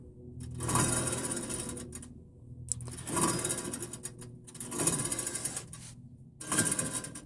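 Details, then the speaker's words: KA620 wheel bearing, hub spun by hand: rough rapid clattering grind in bursts, bearing toast, owner hopes the spindle isn't damaged; bearing being replaced. "i'd have to say that bearings toast hopefully they're not ruining this spindle"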